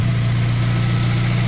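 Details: Turbo Honda making 300 lb-ft of torque yet factory-smooth, idling after an earlier smoking-and-dying episode blamed on a suspected piston or ring problem; smooth, even low hum with no stumbles or dropouts, idling cleanly and steadily.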